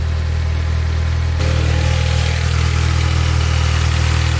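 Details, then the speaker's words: Audi S3 8P TFSI after engine failure and repair: deep, steady, even hum with no knocks or misses; a healthy idle just after a cold start. "oh that sounds pretty good not any worse than most of the size what do you guys think"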